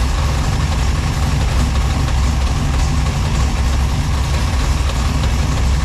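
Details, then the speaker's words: V6 Chevette on first startup after fresh drivetrain install, now firing on all six cylinders, temperature good: deep, even idle with a steady lope from the choppy cam, no misses or knocks. "Okay, sounds a lot better now that we finally got six cylinders, not four. [Music] Low pressure, temperature good. Yep. So far, got one of them choppy cams. Sounds good."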